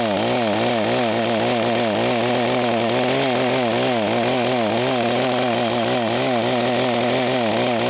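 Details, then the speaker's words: Echo HC-1500 petrol hedge trimmer, carburetor rebuilt: held wide open, the small two-stroke keeps hunting, pitch rising and falling about twice a second without settling; engine surging at high revs, cause unclear (owner suggests rev limiter). "what is it problem with this when you rev it up high is its mentioned the bets go up and down up and down"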